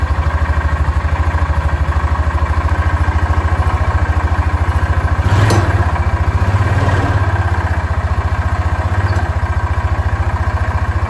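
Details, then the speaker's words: 2006 Yamaha Rhino 450 single-cylinder side-by-side at idle, oil level unchecked: steady, fast thump with a hard metallic clatter on each beat. Sounds like an engine knock, but the owner is unsure and it may be something else. "So, it sounds like it's got an engine knock, which it very well may."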